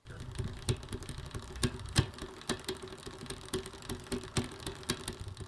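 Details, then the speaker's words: Ride1Up e-bike: sharp irregular ticks, about two a second, over a low rolling rumble from the chain and gears, caused by a derailleur not quite at the right tension. "one noise to listen for is actually in the chain and the gears if the derailleur is not quite at the right tension it'll make a noise that kind of sounds like this"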